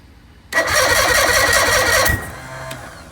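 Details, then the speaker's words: Bass boat outboard engine run without cooling water: it cranks with a rough, uneven chugging for about 1.5 s, then stops abruptly. A later head removal found piston #4 completely destroyed. "that didn't sound good something just went junk and i bet it was that cylinder right there"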